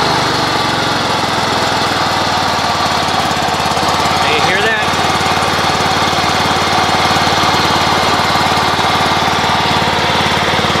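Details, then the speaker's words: Great Dane Super Surfer mower engine running steadily with a rough, gritty drone over it; bearings in both flat idler pulleys under the pumps have failed and need replacing. "that yes so that sound that sounds like uh bad bearing that is that's the flat idlers under underneath these uh pumps the um the bearings in those idlers have gone so I have to replace both of those"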